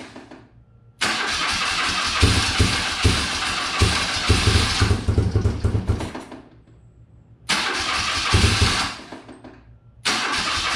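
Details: Circa 1983–84 BMW R65, first start attempt on starting fluid: repeated cranking bursts with uneven pops and brief firing that won't sustain; carbs to be pulled and cleaned before fuel-tank run.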